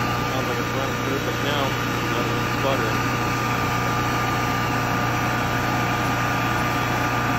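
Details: 2008 Kohler 12RES 12,000 W home generator, 380 hours, after tightening extremely loose carburetor bolts that let air in and caused surging, power pulsing and backfiring: even, constant hum with no rise and fall in speed, smooth steady run.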